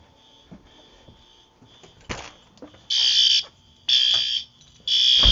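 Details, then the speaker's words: Yearly fire alarm system test, heard from the far side of the house: loud high-pitched horn blasts about half a second long repeating roughly once a second; only the garage horn's march time audible, no code three. "Again, from this side I only hear march time. I hear no code three, so that's kind of funny that you can hear the garage's horn from everywhere."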